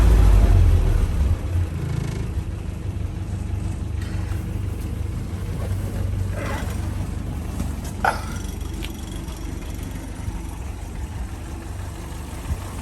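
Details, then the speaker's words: 1979 Land Rover Series 3 Lightweight, reconditioned 2.25 military engine, warm: steady, even idle with a low rumble and no rattle. A slight top-end rattle occurs only when the engine is cold. "As you can hear, it's idling nicely, not rattling now, but it is warm. Very nice willing engine on it actually."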